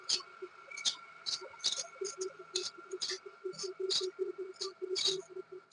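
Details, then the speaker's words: Ceiling fan making noise before bearing service: faint uneven ticking and light rattles over the soft steady hum, pointing to a dry worn bearing; left unfixed, coil may heat and the fan burn out. "क्या आपके घर कभी पंखा इस तरीके से आवाज़ करता है? यदि आवाज़ करता है तो तुरंत बनवाइए दोस्तों, नहीं तो ये पंखा बहुत ही जल्द जल जाएगा।"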